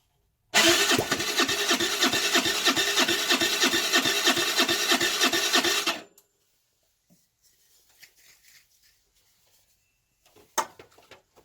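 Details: 2008 Baotian Tanco 50cc four-stroke scooter, fresh gas: the starter churns steadily with no catch. The plug keeps getting wet and the engine floods. The owner suspects a fouled carburetor; not confirmed.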